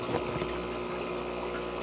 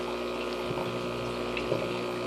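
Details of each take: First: Aquarium air pump set on a filter cartridge holder with rubber feet sitting in its grooves to stop buzzing and movement: a soft, even low hum with a faint watery bubble and no buzzing or rattling; normal quiet air pump hum. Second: Old Elite 800 aquarium air pump on a hard surface: a steady low mains buzz with even tones as it vibrates and walks around. Air pump vibration buzz.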